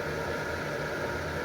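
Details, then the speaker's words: Early-1990s Lakewood model 767 heater (120 V, 12.5 A) switched up to 1500 W: constant smooth whoosh of air with a steady low motor hum, no rattle or scraping; the fan runs normally at its higher speed. "And crank it up to 1500 watts. And that powered the fan up to higher speed."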